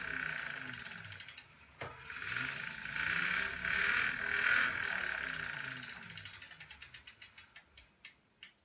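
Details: Tacx Booster bike trainer, about one year old: harsh raspy whirring hiss, then ticks slowing as it coasts; owner asks cause, unknown.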